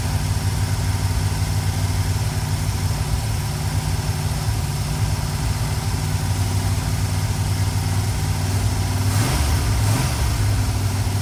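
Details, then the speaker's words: 1965 Dodge A100 van V8 revived after years sitting: deep, steady, even idle rumble sounding healthy, no oil leaks; possible vacuum leak under plate suspected. "Sounds good. Motor's great. Throwing dust everywhere. But that's good. Yeah, it sounds good."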